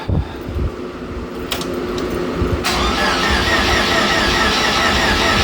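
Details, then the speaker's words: Supercharged hot rod on first start after new fuel system and Holley Super Sniper EFI install: cranking with uneven catches and stumbles before running rough; earlier attempt got way too much fuel, distributor not yet locked out; hard start from overfueling. "I've tried to crank it once and I was getting way too much fuel but I also do not have the locked out distributor in here"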